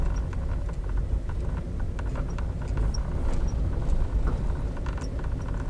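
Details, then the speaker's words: Daihatsu Sigra/Toyota Calya type M, non-touchscreen double-DIN dash: light, irregular "tek tek" ticking while driving comes from the centre console. It stops when the panel is pressed; suspected trim rattle. "tapi kita akan memperbaiki ada satu kerusakan di mana di bagian sini ada suaranya kritik kritik kritik atau tek tek tek seperti itu jadi suaranya berasal dari sini nih"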